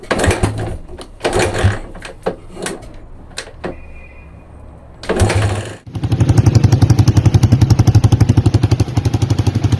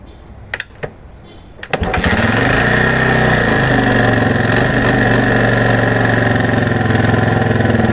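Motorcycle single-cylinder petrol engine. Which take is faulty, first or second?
second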